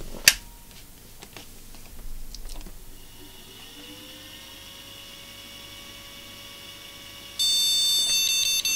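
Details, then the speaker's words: Flea-market PC tower with a graphics card reseated in a latchless slot: quiet fan whir, then one sustained high beep and no picture, a BIOS graphics card error; owner says to try a known good card and wonders about AGP card voltage. "doesn't seem to like that graphics card for some reason let me try a known good one"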